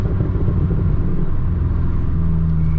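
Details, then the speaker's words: Mk6 GTI, warm after about an hour and a half of running and half a mile driven, following replacement of a seized exhaust-side balance shaft, chain and tensioner: deep, steady, even rumble with no knocks, ticks or rattles; healthy. "So far, so good. Been running really, really smooth."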